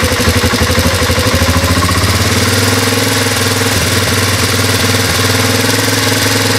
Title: transalp bruit moteur